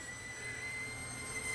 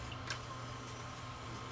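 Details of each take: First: Hitachi DV-PF74 VCR squealing steadily near 2 kHz over the tape whir while playing, from tape oxide sticking to plastic tape-guide parts, with worsening picture. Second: Hitachi DV-PF74 VCR that squeaked loudly playing tape, after cleaning heads and guides: quiet, even motor whir with a faint rising tone as the reels speed up, then a clunk at the stop; fast forward runs normally.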